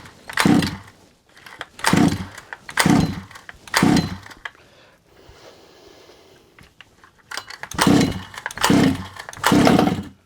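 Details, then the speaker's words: Rebuilt Rovan Q-Shorty petrol RC car at first start-up after priming and choke: crisp two-stroke blips about once a second, rising cleanly and dropping back evenly; engine runs strong and healthy. "What an absolute dream, eh? What a dream. Couldn't ask for better than that. Couldn't ask for better than that. Even if I'd wanted. Perfect. Absolutely perfect. Sounds good."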